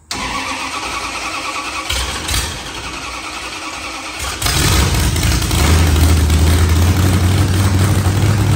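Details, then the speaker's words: AMC Gremlin methanol burnout car with a '74 Mopar LA 360 small block and 727 transmission: long, labored cranking before it finally catches and rumbles on; hard restart, cause unclear, with fuel seen coming out at the back on one side. "here's having trouble getting it to start back up again"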